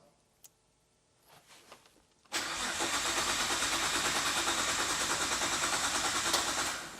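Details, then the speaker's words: Nissan R32 GT-R under full restoration cranks at a steady, quick rate for about four seconds but never fires. A relay clicks at the front, and a relay possibly acting as a kill switch is suspected but not confirmed. "There's a relay. I reckon this might be a kill switch."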